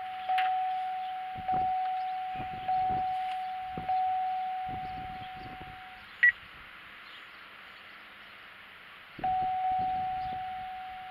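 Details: 2006 GXP with ignition on and engine not running while an Accel super tuner installs a tune: a steady mid-pitched chime pulses about once a second for six seconds, pauses, then resumes. Dashboard warning, cause unconfirmed.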